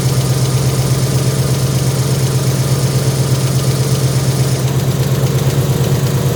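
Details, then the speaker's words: 2018 Ford Mustang, cold idle on a 77°F morning, phone on tire tread, no exhaust installed, then AC on: faint light high-pitched tick at engine speed. Owner believes it is rod knock; unconfirmed. "on these cars it's a little tiny slap like a high-pitched tick so I heard it and I went there it is there it is I believe it has rod knocked"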